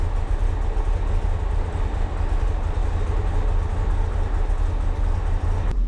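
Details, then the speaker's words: 1962/1963 Maserati Sebring 3500 GTI with Lucas fuel injection, started after an oil and filter change because excess fuel had diluted the sump oil. A deep, even six-cylinder rumble with no misfire or knock; immediate oil pressure, no smoke, running normally. "Oil pressure is immediate and no smoke, which means the engine is healthy. Looks good."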